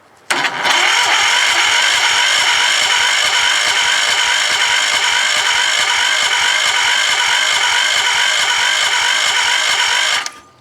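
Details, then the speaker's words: Kohler K341 single-cylinder engine on a compression test, throttle held open, a little oil in the cylinder, reading only 55–60 psi; slow, even cranking at about four beats a second, never fires. Slow cranking from a weak booster pack. "that sounds like my booster pack is kind of low and it's only registering about 55 or 60 psi which is kinda low but then again it's cranking slowly"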